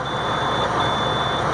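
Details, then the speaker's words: International 4300 DT466 crane truck at idle after a below-zero cold snap. A steady low-air-pressure buzzer sounds while air is not building; the owner suspects ice in the lines or a stuck governor. "I think there was ice in the lines I started up today we will let it run a while see if it starts building their pressure I can hear the air pressure alarm well it's starting might be thawing out like it's trying"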